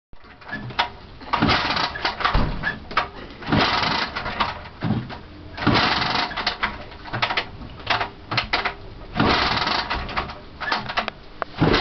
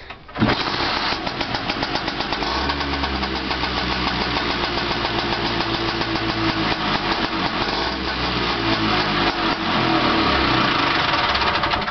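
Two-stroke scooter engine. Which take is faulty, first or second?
first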